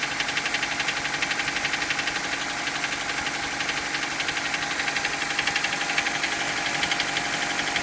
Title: Стук двигателя mitsubishi colt